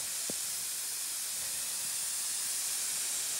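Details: Maple sap vacuum system, 11,000 taps, January lines: constant high airy hiss with no rhythm, air drawn in through bear-bitten tubing; vacuum leak.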